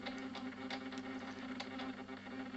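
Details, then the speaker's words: RC steam tug Resolve with a new JMC servo pump (70 rpm) feeding the boiler: a thin, steady motor whir with light rapid ticking. This comes from a servo whose neutral wasn't trimmed, so it keeps turning. "Ce que vous entendez malheureusement, c'est le cerveau qui n'a pas été tout à fait calé. Ce qui fait que il tourne."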